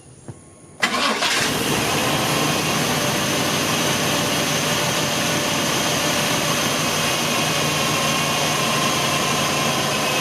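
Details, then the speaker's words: Chevy 350 Vortec Suburban, sat for years, after a brand new ignition and fuel system: one crank and fires straight away, settling into a smooth even idle with no stumble; starting fixed. "so as you guys can tell it's running real smooth right now"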